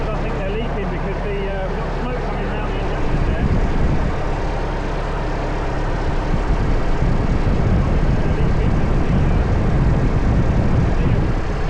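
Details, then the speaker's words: Lansing Bagnall Model A tug with Perkins P4 diesel, just started, no coolant in it: deep, even diesel chug at steady idle with no knocks or misses; running sweet. "well it's a lovely sounding engine wow what a beauty what an absolute Beauty that is"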